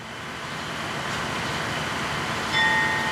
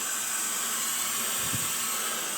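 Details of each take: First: 1953 GE 80-ton long-frame diesel locomotive, last run 1998 by the Navy, just revived after temporarily twisting the contactor coil wires: steady drone under load, two long horn blasts, pulls smoothly; goes forward and reverse, loads up. Dead spots in air throttle, likely loose wiring. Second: 1953 GE 80-ton long-frame locomotive, last run 1998, building air slowly after starting engine number one: steady high-pitched hiss of escaping air with a brief low thump; an air leak somewhere underneath, not yet found.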